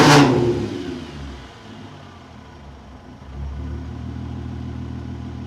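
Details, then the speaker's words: 24-valve VR6 (MK4) started after installing an ECS Luft-Technik polished cold air intake: engine catches, settles to a quiet even idle, then a clean blip with a soft airy rush from the intake; normal revving, runs healthy. "So in reverse order, let's put the battery back in and start up the car and hear these intake whoosh noises."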